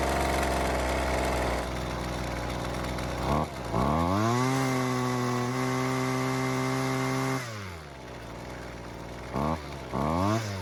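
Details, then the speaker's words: Husqvarna two-stroke trimmer that wouldn't stay running, not a cold start: after turning the L (low-speed) carburetor screw a quarter turn counterclockwise for more fuel, it revs up, holds a clean high note, drops back and keeps running. Normal running; idle screw still needs adjustment. "So, it looks like adding a bit of extra fuel really helped out."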